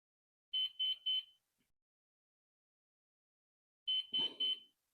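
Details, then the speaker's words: Flywing Bell 206 V3 RC helicopter, GPS unlocking in flight, after reconnecting radio: three quick high beeps, a three-second pause, three more, repeating. "okay so the radio is on I'm going connect it back to the helicopter it's beeping again but now it's making a different sound"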